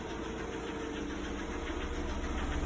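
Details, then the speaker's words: Lada Priora with 58,000 km, knock appears only once the engine is warm, not when cold; light, rapid ticking knock over warm idle that follows engine speed; owner rules out hydraulic lifters and suspects a piston, unconfirmed. "Как будто поршень, что ли, стучит. Да, только при нагреве начинается."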